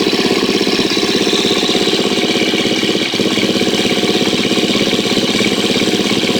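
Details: 2013 KTM 250 EXC-F after valve clearance check and Dirt Tricks cam chain tensioner install, first start with tank back on: crisp, steady single-cylinder idle with an even beat, no ticking or chain slap; sounds healthy so far.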